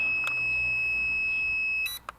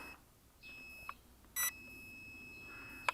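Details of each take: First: Locator buzzer on a homemade lightweight carbon-tube quadcopter (JJ1000 board): 1.7 g magnetic oscillator active buzzer, not piezo. One long steady high-pitched beep of nearly two seconds, then cuts off; loud and working normally. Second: Lightweight carbon-frame quadcopter (JJ1000 board) with a 1.7 g magnetic active buzzer: a thin, high-pitched steady beep. This is the lost-model locator that sounds after the quad loses connection and falls.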